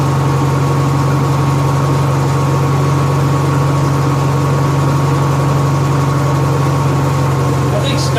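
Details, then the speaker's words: Honda EXW171S welder generator, sat in a barn over 5 years, run indoors after choke warm-up: steady, even low hum with no misses or knocks; normal idle, healthy. "at my run yesterday I know it's weird building this on a cell myself and you run a generator inside it's real quiet we warmed up in the choke code throttle mode"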